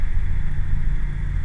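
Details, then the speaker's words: Range Rover L322 TD6 BMW M57 diesel, first start after turbo recondition: cranking while the fuel primes in the injectors, then a steady, even idle with no knocks or misfires, left ticking over without revs. "Obviously we're waiting on the fuel to prime up as well in the injectors, so we might need a little bit of cranking time."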